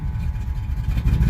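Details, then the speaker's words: 1985 Chevy C10 with Vortec 350 and Lunati cam, NGK TR55 plugs a couple months old: deep uneven V8 idle lurching and stumbling, popping and backfiring; misfire on at least two cylinders suspected, later traced to three failed spark plugs. "hologram popping and backfiring so I'm assuming it's got at least two cylinders"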